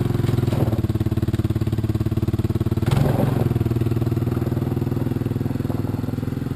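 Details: 1986 Honda TRX200SX single-cylinder quad just started after steering shaft repair, choke partly on: fast sharp popping above normal idle with raw, blatty note; idle set high and exhaust leaking.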